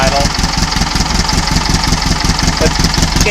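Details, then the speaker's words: Cold air-cooled 1800 flat-four with Kadron carbs, stock pushrods, 1 1/2 inch header and stinger exhaust: low, even, evenly spaced beat at very low idle with no misses or stumbles; smooth, healthy idle after changes. "you just hear the sound how how much smoother it is"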